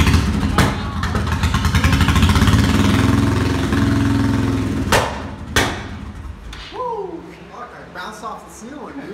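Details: 1996 Honda VT1100 with an eBay CDI: rough, lumpy revving broken by sharp exhaust bangs and flames, then the engine stumbles down; misfire with backfire, cause suspected, not confirmed.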